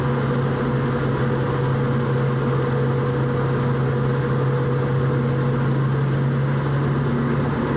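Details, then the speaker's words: 1966 Mustang driven at casual cruise: a steady low hum with a fainter higher tone over the road noise grows louder as the rear differential warms up: differential whine. "as I go by you can really hear the differential getting louder and louder as warmer it gets"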